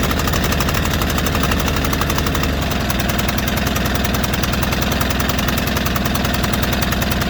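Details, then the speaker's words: White Outdoor LT542G riding mower small twin runs lumpy and erratic, with an irregular stumbling beat; it was also drinking gas and putting fuel in the oil. Cause: missing carburetor main jet starving the carburetor. "I had a sneaky suspicion something was going around I mean going on with that you can just kind of tell how how erratic that motor was"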